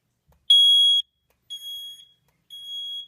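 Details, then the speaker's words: Smoke-tested Cosmo 2W detector, zone 3: high, piercing half-second beeps about once a second, carrying on steadily; its buzzer won't silence when the system is silenced and stays loud despite tape over it. "And it doesn't silence when the other silence beat is on here."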